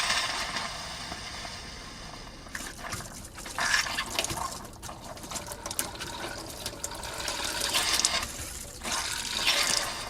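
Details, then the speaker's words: RV water pump running with an empty fresh-water tank while trying to fill the water heater (bypass handle flipped, hot tap open): uneven hissing spurts, gurgles and air bursts at the faucet instead of a steady stream; tank is out of water. "It sounds like water's trying to come out here. I got the water pump going, but there's no water just yet."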